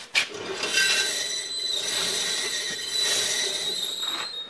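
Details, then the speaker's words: Ranger truck, rear raised on jack, wheel turning: steady high-pitched squeal with light scraping from the rear brakes, before wheel removal and brake inspection. "sounds like brakes to me so I'm going to go ahead and uh start pulling this off pull the wheel off"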